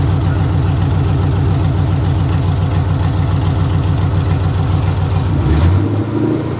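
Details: Gen V engine on standalone harness, battery on starter, cranked by jumping the starter solenoid wire: starter churns briefly, engine catches and settles to a steady, even idle with no knocks or misses; normal start.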